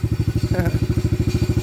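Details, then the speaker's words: Venom 125 quad single-cylinder, just started, old black oil, banging and missing before; plug checked: heavy low uneven, lumpy thumping, running rough and missing. Owner suspects the carburetor or a plugged fuel pump filter, or that it just needs to warm up. "good okay so there's something more to it than just a spark plug carburetor maybe again or the fuel pump filter may be [Music] plugged or it just needs to warm up"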